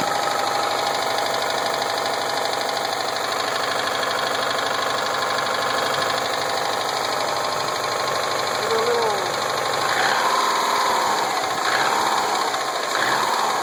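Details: 2007 Subaru Impreza WRX STI with Wiseco forged pistons, ACL race bearings and ARP head studs at idle: light, fairly regular tapping about three or four per second; owner suspects rod knock, unconfirmed.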